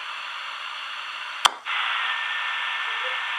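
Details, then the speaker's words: Ranger RCI 2950 radio with odd static: the receiver hiss drops low when the bracket knobs are tightened, then jumps louder after a click as the mount is loosened. A poor connection is suspected, not confirmed. "Now you notice that the audio dropped down, what I'm receiving is still there."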